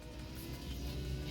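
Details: Mazda power window after the regulator repair, tested going up: a smooth, steady motor hum rising slightly as the glass travels and ending in a soft thud at the stop. Normal power window operation.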